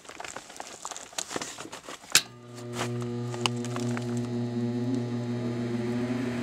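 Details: Air handler after fitting a new blower motor: after some handling clatter it spins up to a smooth, steady low hum with no scraping or wobble, correct rotation, heat strips on.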